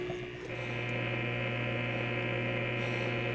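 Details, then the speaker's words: Homemade workshop heater's second circulation pump, after antifreeze change and air purging: steady low electric hum with an even tone and no rattles or surging; pump running smoothly. "time to plug in the second pump and get that one circulating and I can hear it's uh doing its thing sounds like that'll be working okay"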